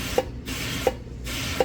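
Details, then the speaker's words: Wastegate actuator on a turbocharged Pontiac 400, bench-tested with shop compressor air before fitting, hopefully a 4-lb spring: three short air hisses with a small click each, about 0.7 s apart; actuator opening freely and normally. "That's that [ __ ] thing working. Yeah, buddy. And it's working. So, hopefully that's a 4-lb spring."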